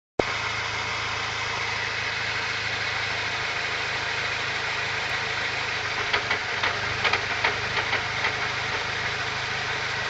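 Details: Car simply idling, steady, with occasional irregular clunks and taps clustered for a few seconds, then sparse; cause unidentified.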